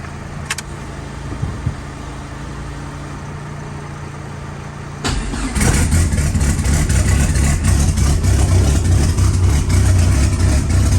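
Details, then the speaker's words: Fully built ACR engine on old E85, first start after install: deep, even warm-up idle with no knocks or ticks, no leaks, good oil pressure; normal. "So we're gonna start it up again, let it get warm, let it idle."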